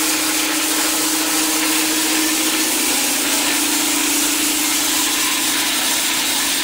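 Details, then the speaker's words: New Campbell Hausfeld 20 gal twin-cylinder air compressor on its initial 30-minute break-in with drain valve open: loud steady hiss over an even motor drone and low hum; air escaping from open drain, normal break-in run. "it's hissing so loud because i got the drain valve open to let the air escape while i was doing its initial break in"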